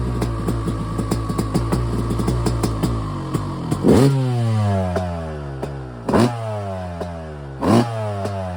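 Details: Yamaha YZ250 two-stroke, first start after frame-off rebuild with complete top end, carburetor rebuild, new Pro Circuit exhaust: crisp ringing idle snapping cleanly through sharp revs and falling back evenly; healthy.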